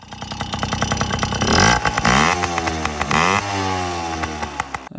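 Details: Yamaha PW50 small two-stroke, after a carburetor clean (it had bogged and died on throttle). It fires and revs up and down cleanly, pitch following the throttle with no bog; running normally.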